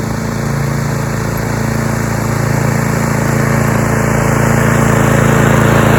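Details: Roadside-found Troy-Bilt TB230 self-propelled lawn mower (Briggs & Stratton) after tune-up and cleaning years of dirt and rusted metal from under the deck, cutting grass: steady, even hum holding speed, no surging, misses or knocking; normal running under load.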